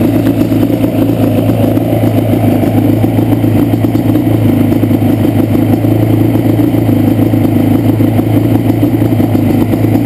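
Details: Yamaha Banshee two-stroke: loud, stumbling idle with clatter, left cylinder misfiring, pipe not warm at idle; carbs rebuilt and balanced, air screws adjusted, problem doesn't follow plug; cause unknown.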